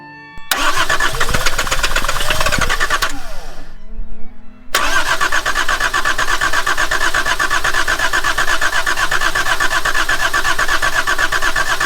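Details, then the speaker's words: Volvo 740 with D24t turbo diesel, abandoned, running on fresh fuel fed from a separate supply after lines were cut off the filter: cranks, stumbles, then catches with an uneven knocking beat; injector lines found cracked, leaking fuel. "so the injector lines are cracked I'm not sure what's going on there"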